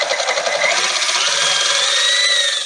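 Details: KitchenAid stand mixer running: a harsh, raspy high grinding rides steadily over the motor whine, from a stripped worm drive pinion gear inside, which was replaced.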